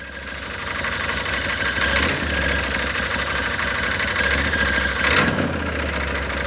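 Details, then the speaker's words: Can-Am Maverick 1000 engine run with the seat out, wheels chocked, pedal pressed by hand on light throttle: a busy, uneven chatter rides over the run; bottom-end noise suspected, not confirmed. "But you can hear it making noise. It's making like a chatter noise. All right, I'm gonna give it a little bit of gas."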